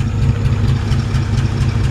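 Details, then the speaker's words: 1955 Chevrolet 3100 short bed pickup, hood open, no exhaust smoke: deep even idle with a steady low exhaust pulse, no skips or knocks; normal healthy idle. "it for the exhaust back there no smoke just want to show you that engine runs good"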